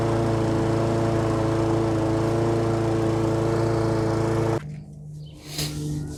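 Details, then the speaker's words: Husqvarna lawnmower with Honda engine, sat all winter with stabilized fuel in tank and carburetor, started on carb spray; runs steady about four and a half seconds then abruptly cuts out, won't keep running on its own. "i got it fired up with some of this carb spray and it wanted to die office pretty much as soon as i sprayed it in there and or i started it up"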